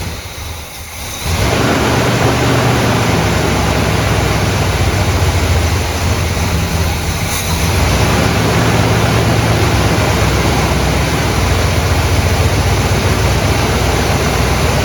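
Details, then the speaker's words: 1972 Buick GS Stage 1 SunCoupe V8, sat about 6 years: catches and settles into lumpy, wandering idle, won't stay running at lowered idle; suspected vacuum leak or throttle plate gasket. "I just hate the fact that it won't stay running when I take the idle down."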